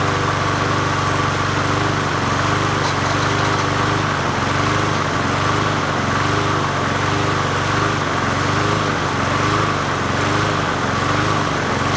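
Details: 20" Murray push mower #20201D, single-cylinder engine, after straightening a wobbling crankshaft and cleaning: runs steadily with a slight rhythmic waver, no knocking or rubbing; normal running.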